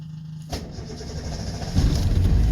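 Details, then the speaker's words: Two-stroke twin Subaru 360 van, cold start after six to eight months stored: starter cranks, engine catches and builds to a rough uneven putter on only one cylinder. Running on one cylinder. "she goes running on one cylinder nice"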